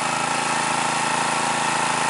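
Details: New stock Harbor Freight Predator 212cc OHV engine, EPA model, stock Ruixing carb, 87 octane, mid-range speed, about 40–45°F at 1200 ft: steady even putter without pops once choke set halfway; smooth running with richer mixture.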